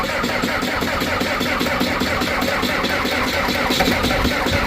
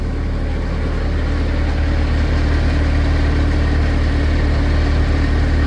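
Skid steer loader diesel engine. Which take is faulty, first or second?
first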